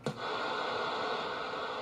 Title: Constant on and off noise on my radio